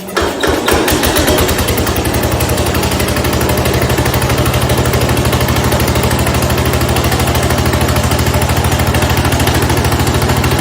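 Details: 1970 Cub Cadet 127 garden tractor single-cylinder engine after head gasket replacement, restarted after choking, catches straight away and settles into an even thump around three beats a second with no knocks; normal healthy idle.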